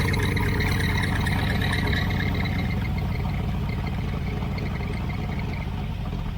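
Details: 1980 Camaro Z28 V8 with newly installed knock-off Holley 4-barrel carburetor, after opening the flapper fully and adjusting the idle screw down: deep, even burble at steady low idle easing down slightly, no stumbling; normal settled idle.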